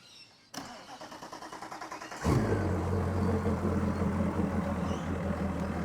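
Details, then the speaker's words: Mercury outboard with MoTeC MCM112 plug-in ECU, first start in a water tub, coolant 13C, no diagnostic errors: starter cranks under two seconds, catches cleanly, settles into a steady, even low idle, oil pressure alarm silent; normal idle. "right, so we want to check, make sure the oil pressure's okay. If it's not, the alarm would go off."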